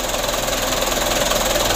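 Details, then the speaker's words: Mitsubishi Canter 125 (2008) diesel idling after adjustment for shaking, long cranking and low power: an even, steady patter with a regular beat and no misses or knocks, running smoothly. "Hai debrur untuk penyetelannya sutelo ini sudah sama-sama kita lihat ya alhamdulillah untuk hasilnya seperti ini Lur"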